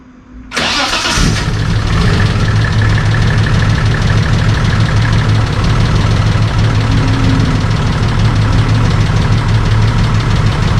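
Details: Holden VL Calais Turbo after a bigger turbo upgrade, with a totally different exhaust and muffler: engine catches after a short crank and settles into a steady, deep, even idle with a throaty exhaust; healthy first start.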